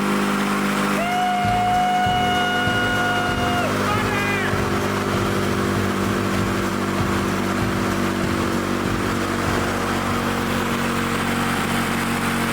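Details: Lawn-Boy Loafer front mower two-stroke, carburetor mixture set about one and a half turns: steady, even high-pitched buzz holding speed without stumbling; runs properly, though the kill wire won't shut it off.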